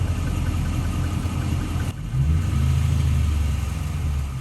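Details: 2014 Jeep Grand Cherokee 5.7 Hemi V8 idling warm just after highway driving, with a faint light knock growing more prominent over time; owner unsure whether lifters, cam, piston slap, knock or bad spark plugs.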